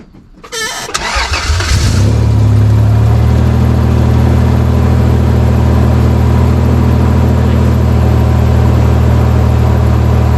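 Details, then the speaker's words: 1st-gen Toyota Tacoma after catalytic converter replacement, checking for exhaust leaks: cranks, catches within two seconds, then steady even idle with no ticking or puffing; all exhaust now exits the tailpipe, no leak. "all the exhaust is coming out the back now"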